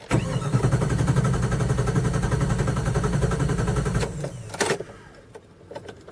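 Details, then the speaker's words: Cold morning start of a 5.2 engine that starts and runs fine warm: starter churns steadily about four seconds without catching; long crank, no start. Owner suspects temp sensor, throttle body sensor or computer. "okay we're gonna let's see if it's gonna crank up this morning let's see the smaller crank up this morning still cranky it finally crank"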